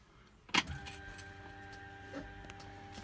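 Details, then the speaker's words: Ford 200 inline-six with FiTech fuel injection, key on before starting: a click, then a faint steady electric hum at constant pitch for a few seconds; normal fuel pump priming. "is that's the fuel pump priming just like I guess a modern car does that I suppose"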